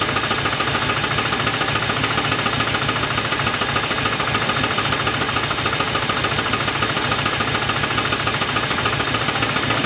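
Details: 1980 Dodge truck with a 360 V8 and four-barrel Thermoquad, sitting about 18 years, first start on fresh gas: a sharp, even knock at roughly three to four raps per second over a rough, smoking idle, a known rod knock.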